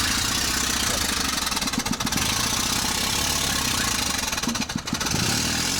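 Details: Carbureted Mitsubishi with knocking and backfires into carburetor, low power: uneven, lumpy idle with periodic dips but no pops with first cylinder shut off, problem isolated to that cylinder.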